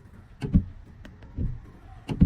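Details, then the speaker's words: Wipers after the blade, tilted up on one side, was adjusted with a screwdriver: they sweep with only soft low thumps at each turnaround and no squeak or chatter across the glass. "look the noise disappeared the problem has been completely solved"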